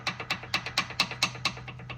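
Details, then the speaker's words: Car with steering wheel vibration, inner tie rod already replaced: sharp crisp clicks about four a second as the wheel linkage is rocked, matching the clicking heard when driving and turning. Worn outer tie rod end with free play. "So right now, the only thing clicking, and I hear it clicking usually when I'm driving, and also when I turn, you know, there's like a clicking sound."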